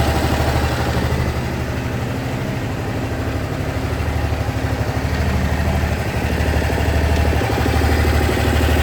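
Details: Honda SH 300i scooter at idle: light, fairly regular tick about three per second over the single-cylinder thump; mechanics say it's nothing, owner believes something is wrong; cause unknown.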